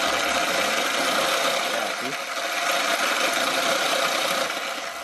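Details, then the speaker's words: Zero FX electric dirt bike on a stand: busy metallic chattering rattle and vibration at the primary chain/sprocket, carried through to the secondary drive chain; primary drive chain found damaged, believed from being hit by another bike, after other rear drivetrain parts were replaced. "so there's like a kind of like a vibration and a certain part of where the chain is or the sprocket all right and you and it kind of transmits all the way to the to the um chain the secondary drive chain"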